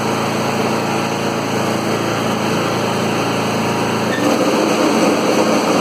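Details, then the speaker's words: 2013 Troy-Bilt Bronco riding mower (model 13YX78KS011) after replacing broken blade engagement cable: steady, even high-pitched engine drone, smooth fast beat, no knocks or slipping; normal running with blades engaged. "Okay, that sounds like it's working, so I guess this video will be done."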